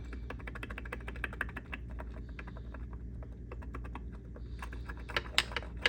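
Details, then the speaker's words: KTM XCW250 engine on the bench during a rebuild, crank turned slowly by hand with a wrench: gritty, uneven clicking instead of a smooth spin. Crank bearings are worn out, the crank is fried. "not supposed to sound like that supposed to be nice and smooth that crank is fried"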